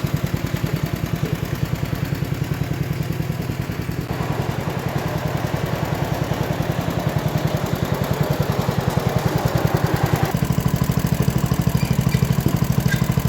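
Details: 1960s Toro Professional 70 reel mower engine after sediment bowl cleaning: steady lumpy single-cylinder idle runs with fuel shut off but won't run with gas turned on; owner suspects the carb needs going through.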